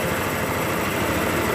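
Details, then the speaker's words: 2013 Honda Beat FI scooter that had stalled with no ignition, now running after swapping in a donor ECU: even, steady idle hum without stumbles or knocks; normal idle, fault traced to the ECU. "Ini motor langsung hidup berarti penyakitnya ada di bagian sini nih Ecu ini"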